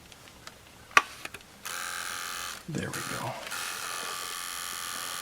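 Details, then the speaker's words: Sony Walkman WM-4 (1983) on 6 V bench supply: after a click a small motor whirs at a steady pitch but take-up reel and capstan don't turn, also in reverse and fast forward; broken drive belts. "so I hear that the motor is running but the take-up Reel is not going anywhere and the Capstone which is the spindle thing here which actually drives the tape it's not doing anything either"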